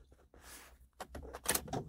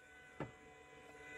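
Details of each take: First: 2006 Ford Escape Hybrid after sitting about two months, at key-on: a few clicks, then a small electric motor winds up into a steady whir; battery cooling flapper door actuator noise. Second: 2006 Ford Escape Hybrid that sat two months and starts for about three seconds, then shuts down with a code: relay click, then a faint steady whir of even pitch as the inverter coolant pump runs normally, now switched through the ignition breaker.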